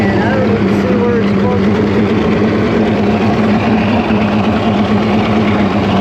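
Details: Outboard after crank-no-fire diagnosis found a bad battery: loud, steady idle with an even low hum and no misses, knocks or surging; runs clean, water coming out of the tell-tale.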